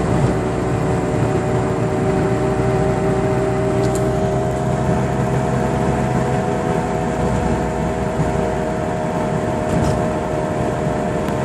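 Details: 2006 Chevrolet Cobalt at constant speed: steady low humming drone over road noise; cause found to be a bad driver-side wheel hub bearing.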